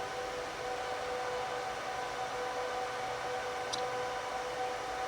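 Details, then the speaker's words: HP ProLiant DL360p Gen8 server during slow BIOS boot after power-on: steady airy rush with a constant thin whine holding level throughout; fans at full speed at startup, normal. "So now we're going to turn on the server, which this will probably be very loud. I apologize."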